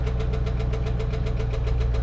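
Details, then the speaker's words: 2011 Chevy Camaro SS salvage-auction car, started on a booster pack: sharp regular knock about seven a second at idle over the engine rumble; rod knock, needs an engine. "not gonna rev it much but I do want to tap it just a little bit to see how heavy that is yeah that's a rod knock"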